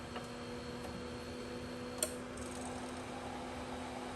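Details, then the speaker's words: Heraeus Fresco Thermo centrifuge after an E-29 error, fixed by forcibly yanking the stuck rotor free: at lowest speed it spins smoothly with a steady low hum, faint high whine and one click. Normal spin. "There we go. It works. It fucking works."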